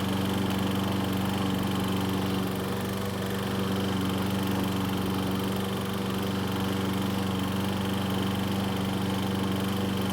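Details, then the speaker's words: Troy-Bilt self-propelled mower running: steady drone with rapid rattle as the recoil starter pawls chatter. Flex in the lower portion of the mower lets the rope guide pull the recoil; the noise stops when the rope is released from the guide. "so as you can see and here there's a very annoying sound coming from The Recoil that seemed to go away after releasing the rope from the guide on The Handlebar"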